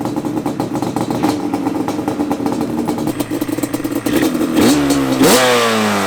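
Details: Yamaha Banshee 350cc two-stroke, rebuilt with new radiator and fuel line, running 32:1 Castor 927 premix, first start after reassembly: crisp, even popping at fast idle with clean throttle blips; healthy normal running.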